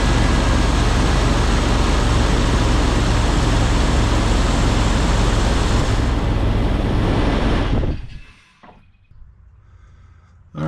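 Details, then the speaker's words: 2005 Jeep TJ 4.0 just after replacing fan belt, idler and tensioner pulleys (old tensioner failed, shredding belt ribs): engine runs steady with no squeal, chirp or whine before shutoff; belt drive healthy. "right so post startup everything looks great everything appears to be lined up really well on The Idler and the tensioner which both ride on the back side of the belt no squeals no nothing"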